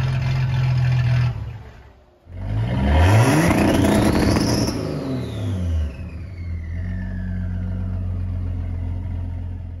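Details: Ford 300 inline-six with newly finished turbo header, first fire-up, exhaust cutouts open: a deep, loud exhaust swells as the throttle opens, then falls back to a steady idle rumble. Normal, healthy exhaust note.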